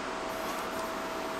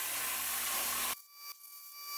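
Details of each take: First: Cut50L low-frequency-start plasma cutter on a CNC table cutting 1/8-inch mild steel: steady rushing hiss with a faint whistle and no electrical interference on startup. Normal plasma cut. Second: Cut50L plasma cutter on a CNC table: loud hissing arc then steady hum broken by irregular crackling sputters on and off through the cut, arc flashing blue; electrode problem confirmed after removing shield cap; intermittent plasma arc sputtering.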